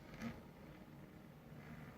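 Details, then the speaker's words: 3D printer belt drive after adding washers to idler and correcting belt tension: quiet even low hum with no clicking; clicking had come from belt slipping over idler wheel. "yeah see no horrible sound that's where I first um you know just upgrade to these softer no stretch belts"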